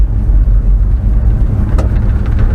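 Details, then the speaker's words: Old Chevy pickup, heavy truck, mild cast-iron 350 V8 after it needed more fuel, on the road; deep steady rumble pulling cleanly under throttle with no stumble or bog; throttle response way better; normal. "response same response is way better barely touchy this is a heavy truck"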